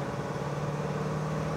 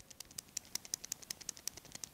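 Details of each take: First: 1965 Chevrolet Malibu SS, Muncie four-speed, road test in 4th gear on acceleration and coasting: steady engine and driveline drone with road hum, no gear whine; noise previously caused by too much play, fixed with shims. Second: New ball bearing for a 1965 Malibu's Muncie four-speed transmission (4th gear cruising noise), turned by hand: light, sharp metallic ticks about eight per second showing excessive play, worse than the original bearing, which will be reused.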